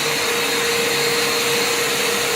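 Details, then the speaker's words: Makita VC2512L/VC2012L shop vac, just plugged in and switched on. Steady high-pitched roar with a constant mid tone and no surging or rattle: running normally. Measured about 70 dB, rated 75 dB; hearing protection recommended. "Now, you hear that? That's 70. They have it at 75 dB, and you're supposed to have 80 wear hearing protection, so it's touch below. But definitely put hearing protection on for this. It's not the quietest"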